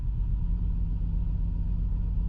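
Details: BMW E53 X5 with M54 straight-six idling low and uneven with a stumble, rocking the vehicle, check engine light on; misfire code traced to one cylinder's faulty ignition coil, to be replaced with a new coil.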